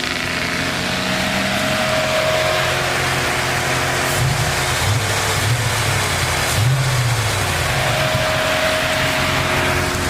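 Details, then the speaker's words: 1996 Chevy Camaro Z28 LT1 V8 after head gasket job, fueling fix and stuck-open driver-side valve repair: deep burble with steady rumble and a few throttle blips, even firing, no knocks or misses; normal running. "She's complete. She's running. You feel me? You know what I'm saying? That thing legit."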